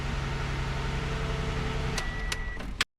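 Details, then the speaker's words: 2015 Toyota Sienna 3.5L automatic after replacing AC expansion valve, spark plugs and ignition coils: first start gives a steady even idle with a smooth low hum, no knocks or stumbles; running good. "so before we do anything else let's let's make sure it starts okay sounds like it running good"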